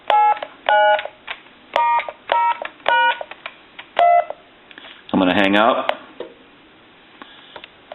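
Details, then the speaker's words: Original Spirit of St. Louis speakerphone after replacing the faulty tone generator IC: seven crisp, even, distinct dialing tones in a steady run, then a voice; the tone dialer now works properly. "And I'm going to dial our numbers, but I'm doing this upside down."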